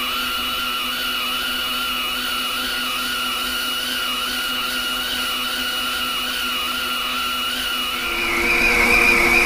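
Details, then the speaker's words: Lathe turning a 10-inch vertical gearbox output shaft at a heavy feed, before backing off to 0.022 in per revolution: high steady cutting whine wavering about four times a second; machine loading up under too heavy a feed. "that seems like we're loading the machine pretty good here i'm gonna back off on that feed see how it sounds there it just sounds like it's really loading up the day"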